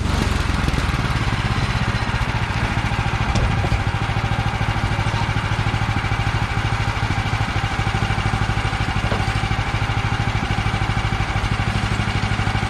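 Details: Bandsaw sawmill's small engine holds a steady pulse under load cutting 3/4 x 6 inch boards, after Pine-Sol water lubricant was toned down (excess made blade jump off wheels); blade cuts evenly, no squeal or bogging: normal cutting.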